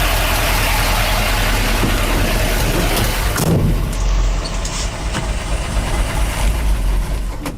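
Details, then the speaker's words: 1973 Ford F-250 Dentside HighBoy 4x4, lifted 429 big block, unregistered 8 years, just primed and started: loud diesel-like idle with tappy upper-engine clatter, then sags and stalls; owner suspects the oil pump isn't pumping enough. "you. Oh, and she died on me. I don't think the oil pump is pumping enough."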